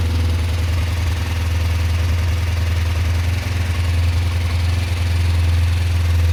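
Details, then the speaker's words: Kawasaki ER-5 twin with newly fitted exhaust, fuel thought very low: smooth, steady, deep idle rumble with no misses or knocks, quieter than owner would like; normal idle. "it's a shame these motads don't have a little bit more sound i think i just need a little bit more sound in my opinion"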